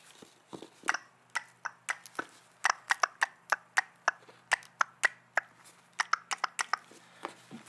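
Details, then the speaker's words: Volvo VVT solenoid from a 2000 V70, bench-tested by touching battery negative lead: crisp, distinct clicks several per second as the solenoid actuates the valve; working properly, unlike the dead bad unit. "the valve actually, the solenoid push and actuate the valve."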